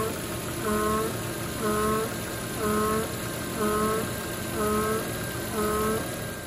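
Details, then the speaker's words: Volvo XC90 (2007–2014) at idle, for about 5–10 minutes after starting: a droning hum swells and fades about once a second; failing PCV valve oil trap, replaced. "este vehículo cuando se enciende tiene dudas 5 o 10 minutos aproximadamente el vehículo suena tiene un sonido en el motor con un zumbido"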